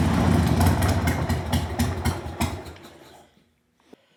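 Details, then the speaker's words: 1998 Harley-Davidson Sportster unstarted for over a year, stale gas, dirty fuel filter, new lithium battery, cold: uneven V-twin firing about four a second fades and dies within three seconds; won't idle, owner expects warming up may help. "Even though it was being stubborn, it won't idle. I'm sure if I let it warm up, you know, things like that, it'll get better."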